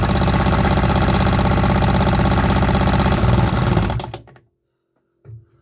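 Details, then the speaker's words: Homemade 3D-printed 125cc two-stroke engine, first test run with carbon-fiber nylon exhaust: ragged rapid popping for about four seconds then dies; runs only on starter fluid, fuel delivery from the injector is faulty. "We had some signs of life, but only on starter fluid. That means something is off with my fuel delivery from the injector."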